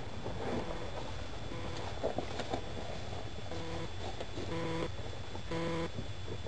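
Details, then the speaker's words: VW Rabbit first start after sitting a long time, new battery fitted: engine catches and holds a loud, fast roar instead of settling to idle, racing near wide open; cause not found. "seems to want to go wide open."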